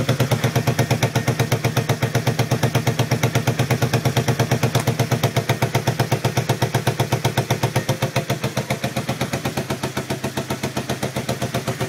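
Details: Yamaha XS400 twin after the owner's attempts to balance the carbs: slow, loping idle of about four pulses a second with uneven, lumpy beats varying in strength; rough idle.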